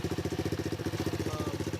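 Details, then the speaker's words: X18 pocket bike single-cylinder, jump-started, bigger carburetor fitted by old owner replaced with stock carb: fast even idle putter, steady firing, no misses or rattles; quiet, clean normal idle. "Took out the bigger carburetor that the old owner put on the stock carburetor, and it sounds amazing."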